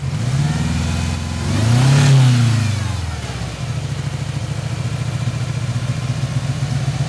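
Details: 1997 Ford Ranger rough idle: lumpy, uneven idle with stumbling beat around four per second and brief rev; cylinder 1 dead at 60 psi vs 180 psi others, leak-down air escaping crankcase breather, oil cap, dipstick tube; cracked piston rings.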